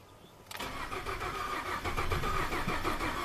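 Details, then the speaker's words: 2012 Ford F-150 EcoBoost, 220,000 miles, auction truck, crank no-start with low fuel pressure code; steady rhythmic cranking without firing while fuel rail pressure reaches about 500 psi of 1,000 desired, then drops. "So 1,000 was desired. Actual, it bumped up to a little over 500 and then quit."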